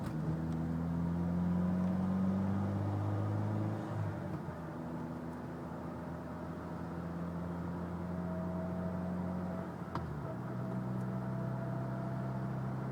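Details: Mitsubishi Evo X driving: a thin whine from the front end rises over road noise only under load, loudest on light load around 45 mph; transmission or transfer case suspected.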